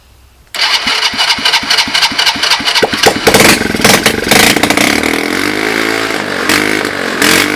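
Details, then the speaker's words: Free 110cc Chinese ATV, on starting fluid; a few cranking pulses, then the small single catches and runs rough and raspy, settling as it's put in forward gear and the rear axle turns; runs normally. "Well, I saw the axle turn. Did you guys see the axle turn?"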